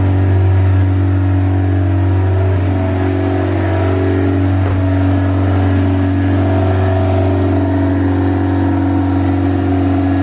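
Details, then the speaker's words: Built turbo B16 Honda EF Civic hatch cold: steady raised idle, even hum, no dips, because the coolant-operated fast idle valve is fully open; idle comes down after about 10 minutes running. High cold idle from open fast idle valve. "you can see it idles really high. That's because the fast idle valve, this car has a fast idle valve, and it's opened up all the way."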